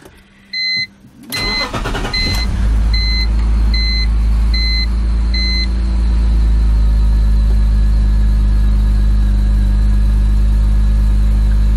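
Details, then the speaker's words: BMW E46 330i M54B30 after M50 intake swap, ICV delete, 76mm N52 throttle body on an adapter and Rally Road fuel rail, cold start: brief crank, dash chimes, then smooth even idle without hunting or surging; a suspected vacuum leak now seems fixed. "right now it's actually not bad at all this is the smoothest it has run see if it starts to bounce or not but I do think it had a vacuum leak before"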